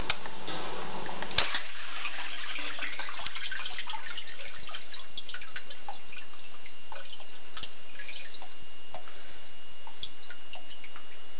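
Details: 11-year-old Electra DB-12B dishwasher mid-wash: splashing water with irregular light clattering ticks and faint steady high tone, clanking getting worse. Clanking during wash cycle.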